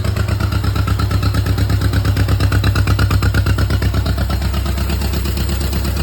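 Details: John Deere Model M running after at least 15 years sitting in the woods, with fresh oil change and a rewired generator lead. Steady, even low chuff with a regular firing rhythm and no knocks or misses; normal idle.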